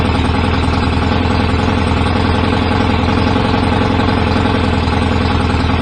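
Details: BSA A50 twin motorcycle bought as a non-runner, first start after restoration with newly fitted pattern open exhaust pipes, needed some throttle to fire: loud, rapid, slightly uneven twin beat; owner thinks timing may be a little off, to check with strobe; rough idle.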